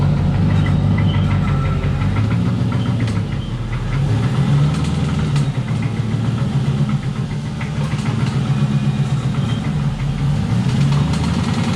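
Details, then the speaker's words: BMW E36 with an LS-swapped 4.8 L V8 that failed while drifting after a hard spin. Rough, heavy idle with an uneven deep knock; owner suspects rod knock, possibly top end, with metal shavings on the dipstick. "you could i'm sure you could kind of hear the noises going on there from that video of you pulling in but doesn't sound good i'll be honest definitely sounds sort of like the top end but the fact that there's metal shavings on the dipstick it just kind of says uh says it all"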